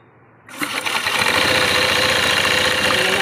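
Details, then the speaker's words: Honda Beat scooter CVT pulley noise: harsh hissy rattle with a quick uneven beat. The pulley rollers are worn with flat edges and the pulley set has almost no grease left, so the rollers need replacing. "So may kayod na yung bola ni boss Ayan oh ayun oh kanto na yan sun need na to boss palitan"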